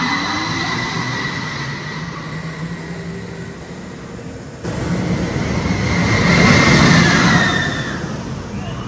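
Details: Linear induction motor ride launch: loud rumble with a high tonal squeal climbing and shifting as the train accelerates; normal LIM squeal.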